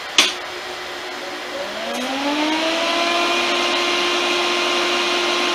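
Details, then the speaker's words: Chicago Electric Dual MIG 131 welder with retrofitted 110V AC 1.1A fan (about 113 cfm), enclosure on: soft click, hum rising in pitch for about two seconds then holding a smooth even tone; normal, not much louder. "um doesn't significantly increase the sound in your shop"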